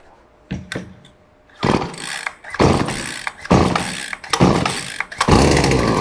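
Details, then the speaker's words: Stihl FS56RC-E gas trimmer on full choke: a few rope pulls, then short raspy bursts as it fires and dies, the normal cue to move to half choke. "So there's the fire and die. So from there, guys, we're going to move it down 1 step there to half choke."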